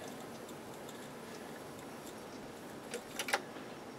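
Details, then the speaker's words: Akai AM-2800 integrated amplifier: quiet hiss, then sharp crackling snaps as the worn power switch arcs inside at switch-on; the switch is to be replaced. "another problem this thing has is the power switch is kaput because sometimes when you turn it on you can hear it arcing inside and that's really a bad situation to be in"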